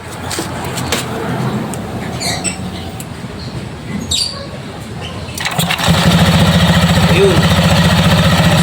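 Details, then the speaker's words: Euro Griffin 180i scooter, after cleaning the CVT torque enhancer with CVT cleaner and lubing it with gear oil: engine catches near six seconds, then a steady even beat. The earlier coin-like clinking from the drive is gone. "Smooth na. Wala na yung kalansing, di ba? Ganun lang."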